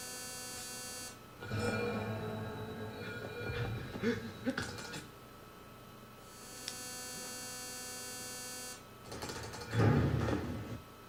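Low buzzing bursts swell and fade over a faint constant hum, coming in short waves; speaker noise, cause not pinned down.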